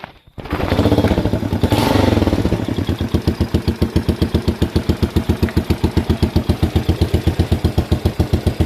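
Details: Postie bike motor, freshly rebuilt, in neutral, kickstart felt odd after clutch adjustment: rough catch, then a low, slow, even single-cylinder putt at three to four beats a second; deliberately set low idle.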